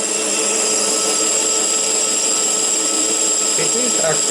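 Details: Schaublin lathe boring a hole larger for an oil seal on the Variator pulley, very long boring bar with tip set slightly above center; steady even cutting hiss with constant high tone, no ringing or squeal, cutting cleanly without chatter.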